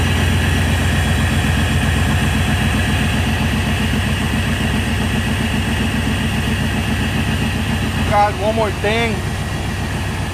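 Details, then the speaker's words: 1996 GMC Yukon V8 after cold start, following intake manifold replacement, new gaskets and timing correction; steady, even idle with smooth low pulse, no knocks, ticks or misses; healthy, no longer overheats. "I haven't turned it on today, so I'm gonna give you a little cold start of the truck and how it sounds."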